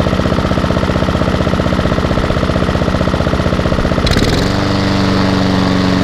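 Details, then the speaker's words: Hayter 48 mower with Honda engine from a job lot, first start outdoors with fuel on and no leaks: fast, even single-cylinder putter settling into a smooth steady hum; engine normal, but drive not working, belt possibly off. "well that surprises me I was not expecting that however the drive is not working"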